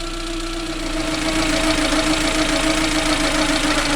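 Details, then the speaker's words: Suzuki Alto petrol engine idling after cylinder head work and idle adjustment: steady whine riding over the idle; owner suspects worn alternator bearings, later replaced with SKF 6302RS and 6202RS bearings. "I've adjusted the tick over and it's sweet is enough and then you start getting a noise so it looks to me like the alternator bearings are gone bad"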